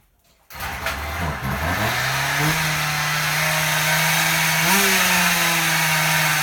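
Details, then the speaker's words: Husqvarna 36 chainsaw two-stroke after repair, low-speed needle opened about 1.5 turns: catches and climbs to a high steady buzz with slight surge; owner suspects lean running, not confirmed. "so you can hear it runs I'm thinking probably has it early that's why I'm having to open that low up so much"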